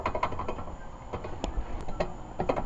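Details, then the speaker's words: Lexus ES300 rear suspension rattle: loose, uneven metallic clicks as the caliper is rocked by hand, caused by worn caliper slide pin bores; struts and trailing arm rods also replaced. "So the other rattle, and I'm going to take these off to show you, is these caliper slide pin bores are worn out."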